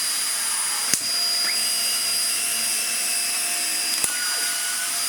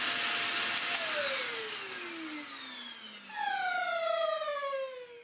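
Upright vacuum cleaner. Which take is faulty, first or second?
second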